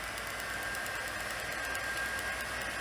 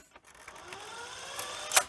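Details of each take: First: Sony SL-C5 Betamax, rewind after fixing a rubbing rewind fault where the spool was touching: soft, steady whir with no rubbing or scraping; rewind now smooth and healthy. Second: Sony SL-C5 Betamax on pressing stop: faint rising scrape and whir then a sharp snap; the new, slightly oversized playback idler tyre is suspected of rubbing and jamming the take-up spool.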